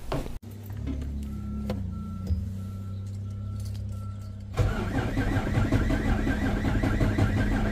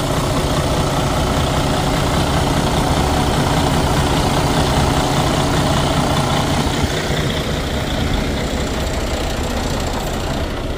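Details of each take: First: Freightliner Cascadia DD13 diesel starts, then idles with a harsh, uneven clatter that surges and shakes, caused by a failed fuel rail high-pressure sensor upsetting fueling. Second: Detroit DD13 diesel in a Freightliner Cascadia, after replacing the failed fuel rail high-pressure sensor with a used one: steady, even idle rumble with a smooth regular beat, no stumbling or knocking; engine runs fine after repair.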